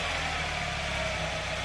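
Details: Car idling after removing a loose under-car metal piece whose securing clamp had failed, the cause of the metallic rattle: soft even idle hum with faint hiss, no metallic buzz or rattle; problem resolved, normal idle.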